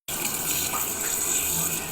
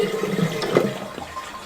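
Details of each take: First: Toilet cistern fill valve keeps running: constant hiss of inflowing water never stops, level rising above the overflow; the small rubber seal plug at the fill valve's vent hole is dented in by water pressure. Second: Toilet after repair, fill valve's dented rubber seal plug flipped and refitted: short rushing flush draining cleanly with no lingering hissing; the earlier sizzling noise is gone, confirming the aged rubber seal was the cause.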